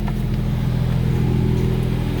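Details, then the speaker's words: 2016 BMW M2 with M Performance exhaust in stock mode, cold start: low buzzing vibration drone as revs settle from start-up, only on cold starts and then gone; owner thinks it's common with this exhaust, not an issue. "as you'll hear that almost vibration in the car it only happens on the cold starts on the original startup and then on the as kind of as it revs down here and then you'll never hear it again"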